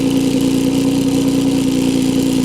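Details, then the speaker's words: Steadman TS-100 with 4.2-litre Jaguar XJ6 Series III engine, twin SU carburettors set to about 2.7–2.8 percent CO after timing and plug change, smooth even idle with no misses; normal idle. "now as you have seen i was able to adjust the mixture on both carburetors to about 2.8 2.7 percentage of carbon monoxide"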